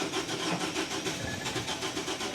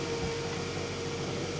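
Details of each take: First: 2011 Scion xB, 2AZ-FE four-cylinder: a used engine swapped in because the old one passed excessive oil past the rings. On the first start after the swap it gives a short crank, a crisp catch and a steady idle. A high-pitched noise afterwards came from a heat shield missing a bolt. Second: 2011 Scion xB 2AZ-FE 4-cylinder, first start after swapping in a used engine: thin steady high-pitched whine over an even idle rush, traced to a heat shield missing a bolt; adding the bolt quieted it.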